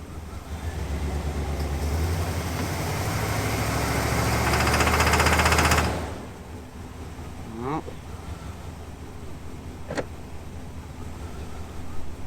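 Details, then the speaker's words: 1992 Chevy Silverado V8 that sat 14 years in the woods, in drive on sand, wheels not moving: rapid regular knock about four per second when revved, over the rising engine note; source of knocking unknown. "nothing in drive yeah it starts to make some sort of knocking when i rev it up i can't tell what's knocking"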